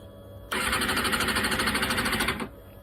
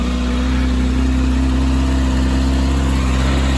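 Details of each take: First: Kawasaki Ninja ZX-6R: engine catches, runs ragged and uneven about two seconds then dies; bogging after start, owner determined fuel pump assembly is at fault. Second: Kawasaki Ninja ZX-6R after fuel pump assembly diagnosis: steady, even idle with a smooth low drone, no misses or knocks; normal idle.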